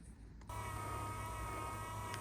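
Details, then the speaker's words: MK Sportscars Sport 200 build, wiper motor bonded in place and linkage greased: starts cleanly with an even hum and whir, no strain or binding; rod moving well in the wiper boxes. "Here we are with the motor installed, and as you can hear, it's rather smooth. So there's no strain."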